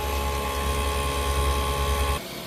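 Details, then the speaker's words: Freeze dryer vacuum pump in final dry with bell peppers, room about 78°F, after fixing the valve that caused error code 8: steady low drone dropping off sharply near the end; pump running smoothly, vacuuming now good. "So by fixing that valve right there, it solved the problem of the error code 8. Now we have a great vacuuming."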